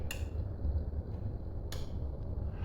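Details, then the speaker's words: Roof limit switch, set by factory-installed metal targets on the sliding rail, clicks as the opening roof's target hits it, signalling the control box to turn the drive motor off; two crisp clicks over low motor hum, working normally. "that sends the signal back to the control box that tells the motor to turn off"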